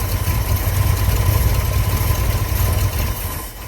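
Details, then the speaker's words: 1965 Ford F100 body on a 1974 highboy chassis, supposedly a new crate 390 with automatic transmission: low, uneven, lumpy idle that never settles. A major vacuum leak is suspected, possibly the intake; spraying around the carb base gave no change. "It still sounds like I got a major vacuum leak. I wonder if it's my intake. It's just weird."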